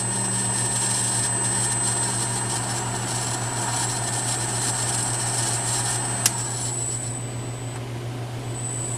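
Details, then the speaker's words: 1/2 HP three-phase motor on a VFD, ramped up to full speed at 60 Hz, furnace running in background: steady low hum with a constant high whine, smooth with slight noise; normal running. "and that's full-speed there that 60 Hertz so feels really smooth there's a little not sure if you can hear it over the furnace but there's a little bit of noise there"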